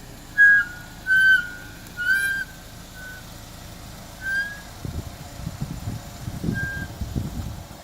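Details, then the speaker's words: 2007 Chevy Equinox, front brakes and rotors replaced about a month ago: short high squeals each time the brakes are applied while reversing, none going forward; brake squeal in reverse. "2007 Chevy Equinox brakes make noise in Reverse brakes don't make noise going forward just in Reverse front brakes were changed and rotors were changed"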